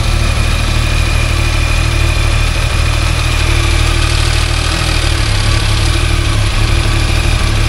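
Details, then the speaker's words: Cold three-cylinder sport motorcycle, idling: a light, uneven metallic rattle over the low thrum that changes as the clutch is pulled slightly; normal clutch basket free play, louder once warm. "Vale lembrar que as motocicletas estão frias quando esquenta o barulho fica um pouco mais proeminente"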